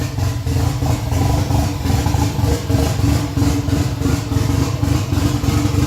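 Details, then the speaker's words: Freshly rebuilt Nissan 180SX SR engine, first start after 10 months, no exhaust and intercooler piping not hooked up: loud open-pipe idle surging and sagging about once a second, lumpy and uneven; hunting idle from disconnected intake piping. "It sounded so mean with the no exhaust and no intercooler piping, so it was a hunting idle. It was lumpy as. It sounded like it had the biggest cam in the world in it."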